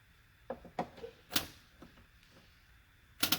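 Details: JVC DLA-RS15-U projector with no power: repeating sharp clicks and a short whirr as the lens door keeps trying to open and sticks, no light.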